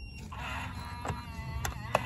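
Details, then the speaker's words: Defiant battery-powered touchpad deadbolt, alignment test after installation, lock button pressed with door closed: about a second of motor whir then a few light clicks as the bolt throws once; aligned and locking normally (misalignment would cause repeated clicking). "You'll hear it lock. It'll start clicking if it's not aligned properly. This lock will not work if it is not aligned properly."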